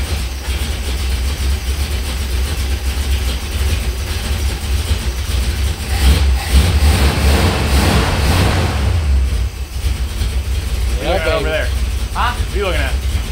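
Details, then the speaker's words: 1964 Dodge 383 big-block (billed as a 440 revival) long-sitting project car fires right up on a temporary fuel pump with old gas dumped in a bucket. Lumpy but even idle with throttle blips, no knocks or misses. 60 psi oil at idle; sounds great, normal idle. "383 fire right up boom 60 PSI oil at idle there sounds great yeah it sounds like a sounds incredible"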